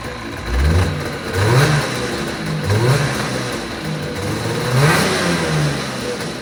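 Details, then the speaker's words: 1980 Yamaha Enticer ET300 two-stroke, revived with fresh plugs and mixed gas after sitting. It catches after much recoil coaxing and takes several quick throttle blips, pitch climbing and dropping cleanly; running again. "we give it a little bit of coaxing but we did get her to fire so she should run now"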